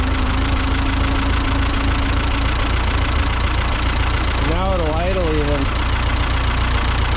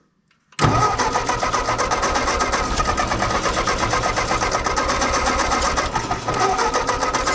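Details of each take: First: Ford 8N tractor after carburettor cleaning and ignition/ballast resistor wiring fix, low steady idle with an even thump and no stumbling; slight miss and a little smoke still noted afterward. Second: Ford 8N tractor after carburettor work: the starter churns steadily at about four compression beats a second for twelve seconds and it never catches.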